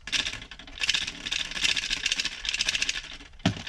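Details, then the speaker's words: Porsche 996 fuel level sender removed from the tank and shaken by hand, found to be the rattle culprit over bumps: bursts of light metallic rattling from the loose internal ball. "so every time we go over a bump just rattling away"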